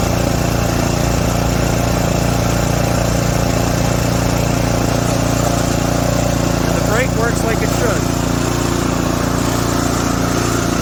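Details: Craftsman 28-inch snowblower 247.888740 after full service: new auger gearbox seal with 80W-90 oil, new belts and auger bearing, NGK RN9YC plug, Trufuel 4-cycle; small single-cylinder holds steady even beat, no misses, surging or rattles; healthy.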